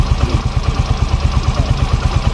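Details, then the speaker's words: Yamaha Mio Fino 125 scooter idling with a light fast clatter on the firing beat, louder with rising RPM and when hot after a long ride; valve ticking, valve clearance suspected too loose. "Tapi saat naik RPM dia terdengar lebih nyaring suara berisiknya gitu"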